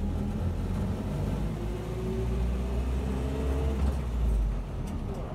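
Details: 1976 Land Rover Series 3 109 with a 2.25 petrol engine, driving after a new exhaust was fitted. A steady low purr with no rasp or blowing replaces the earlier exhaust roar, though still noisy with no soundproofing.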